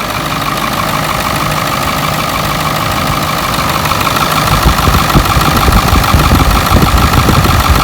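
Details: 7.3 Powerstroke in an F-350, first start in years after it sat with no oil and a pedal/throttle fuse issue was fixed: steady, even diesel idle with loud rattly clatter at about three pulses a second, no misses.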